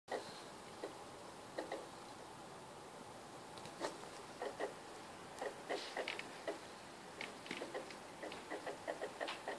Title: Ps3 making noise